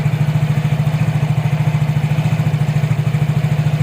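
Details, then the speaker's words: Yamaha Mio J automatic scooter after replacing worn rear pulley seals and damaged pulley sleeve: even smooth beat with no rattle or grinding from CVT; normal idle, noise fixed. "bisa melihat dan mendengarnya bersama-sama. Suaranya halus, tidak ada masalah lagi."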